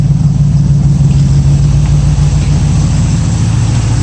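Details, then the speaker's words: 1965 Mustang V8 hot idle around 190° with electric fan running and aluminium radiator fitted: deep, steady even exhaust pulse, no stumbles or misses; carburettor not the best but no smoke when hot, sounds good. "Carburetor's not the best, but not smoking or anything when it's hot. Sounds good."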